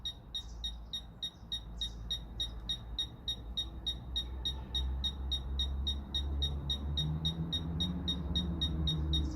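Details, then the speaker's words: Fisher F-Pulse pinpointer air test, no obstacle between target and probe; sharp high beeps about three a second over a low rumble, quickening as the target nears, responding normally. "Vous entendez, les bips deviennent de plus en plus rapidement."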